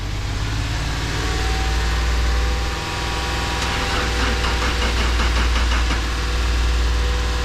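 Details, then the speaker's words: BMW E39 530i parts car said to have a bad motor, gas gauge empty, cranked with throttle held for about 2,000 RPM: steady churn at about four beats a second with uneven puffs and intake backfiring, never catches; low compression or fuel-related misfire suspected. "uh we try to give it gas to start it um it sounds like it's low compression it's kind of backfiring through the intake it doesn't sound very healthy"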